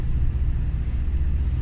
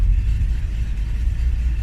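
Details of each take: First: Engine, cold and warming up, running super rich after loose spark plugs 3, 5 and 6 were fixed, likely curing a misfire: a deep, constant low rumble with no dropouts or stumbles; the constant cycle is warm-up, not a misfire. Normal cold idle. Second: Vehicle started cold without block heater plugged in, choke used: low uneven rumble with unsteady pulse at idle, slight misfire; rough while warming up.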